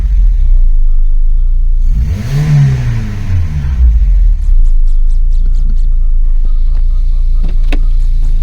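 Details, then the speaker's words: Volkswagen Polo with rebuilt Pierburg 2E carburettor and replacement starter motor: short crank, quick catch, brief rev, then steady even low idle with no hunting; much improved, healthy start and idle. "Yo lo veo bastante bien comparado a cómo estaba antes."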